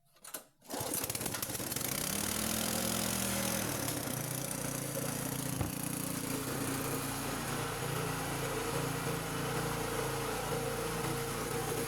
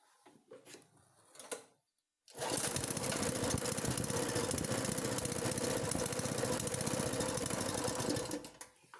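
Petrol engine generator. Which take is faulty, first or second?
second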